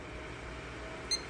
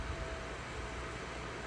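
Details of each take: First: PC with an RTX 2080 Super that posts but gives no video after repeated power-button resets. Steady low room hum, then one short high POST beep near the end. No-video cause unconfirmed. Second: RTX 2080 Super PC with no video output and no POST, after a motherboard beep code indicating a GPU problem: the graphics card fans ramp up to a loud, steady full-speed rush with a faint whistle. The card is sagging, and sag is suspected.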